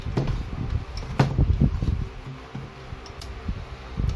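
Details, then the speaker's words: Fujima MMA 315 welding machine: irregular soft clicks, several per second, over a faint low hum as the unit keeps blinking and the relay chatters; IGBT and output diode checked fine, power supply IC and PWM control board suspected, root fault unconfirmed. "Yan lang yung problema ni fujima 35 nagbiblink so matagaltagal yan naririnig niyo rin na panay pumipitik yung relay"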